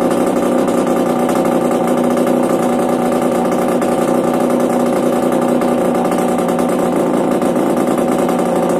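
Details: Yamaha DTR 125 two-stroke with engine from a 2007 electric-start bike, first start after new unrestricted Gilera SC CDI, new seals, powervalve fully open, 240 main jet, Big One exhaust; steady crisp buzz, no misses, knocks or rattles, running normally.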